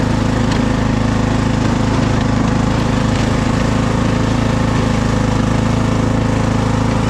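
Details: Craftsman DLT3000 lawn tractor's small single-cylinder engine, bought as a runner, holds a steady, even beat of about three pulses a second under way with no misses; normal healthy running.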